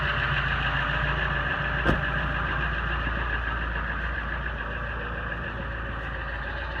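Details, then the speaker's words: 1999 Ford F250 7.3 Powerstroke diesel, 117,000 miles, cold start at about 15–20°F: it settles into a steady, even idle with a low rumble and no knocks or misses. A normal, healthy cold start. "so as you can hear cold start but she starts up good starts good runs good"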